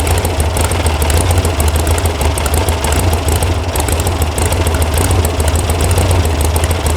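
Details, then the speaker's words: Air-cooled VW sand rail (about 1966) after an electronic ignition install and firing-order correction, during carb tuning: loud, low, uneven lumpy idle with a bobble. The mixture screws were backed way out, and the carb needs adjusting. "But it definitely has a bobble to it. I don't like this."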